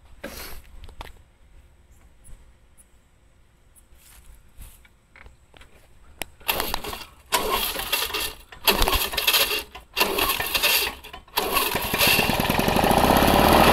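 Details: 1984 Lawn Boy two-stroke mower, after clogged carburetor and exhaust were cleaned, pull-started a few times then catches and runs at a steady, even buzz; normal running.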